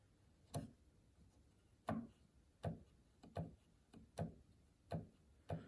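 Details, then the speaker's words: Yamaha G5 piano action removed and on a table, around key 1: sharp wooden clicks, about eight in six seconds, one per key release. Suspected jack regulation noise, possibly compressed parts; not confirmed. "And it comes back, let go of the key, and it comes and rests. So I was trying to see what, on key release, what is happening."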